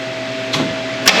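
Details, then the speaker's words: 48-volt electric UTV (Intimidator) after an upgrade to a Vatrer Power 48V lithium battery pack, key on; the winch motor gives a steady mid-pitched hum with a couple of sharp clicks, pulling smoothly and working normally. "Winch works. Man, that's pretty much it."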